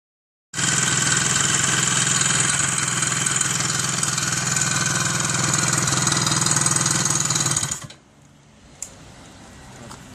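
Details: Soviet Izh Planeta 3 motorcycle two-stroke at idle: a sharp, high metallic rattle rides constantly on top until shutdown. Strange noise, cause not clear.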